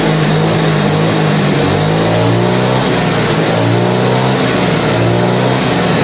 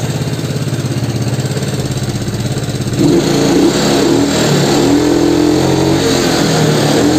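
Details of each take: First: Yamaha Mio carbureted scooter after refitting the air filter: revs now climb and drop evenly from low through mid to high with no surging. Compression still seems weak, the timing part may be worn, and the exhaust shows white smoke. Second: Yamaha Mio scooter, air filter removed: revs still swing unevenly from low through mid to high RPM, too much air into the carburettor making a lean, mismatched fuel-air mix; hunting surge instead of holding steady.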